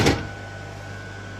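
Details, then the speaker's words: Bartscher JC-900B / Hendi 221105 centrifugal juicer repaired with parts from identical machine: clunk at switch-on, then steady even motor hum at constant pitch, no rubbing; runs normally after repair. "I don't know what was that noise at the beginning but wow this it works it works fine"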